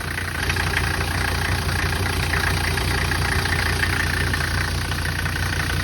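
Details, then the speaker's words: 1985 Mercedes 300D diesel, just jump-started and visibly leaking fuel, at steady idle: even, rough diesel clatter over a deep rumble with faint turbo hiss; normal diesel knock, nothing loud. "You can tell it's a diesel by the way it is."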